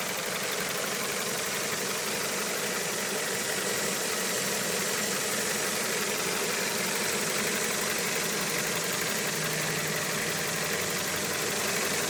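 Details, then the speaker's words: Well-built, run-in Toyota 4A-GE, warmed up with fan running, idling steadily at about 800–850 rpm (Haynes/Toyota spec); smooth even four-cylinder idle with no knocks, misses or hunting, normal. "well with the fan on it Idols at the steady so about eight eight hundred eight fifty which is what uh Haynes and Toyota specify for the 4ag"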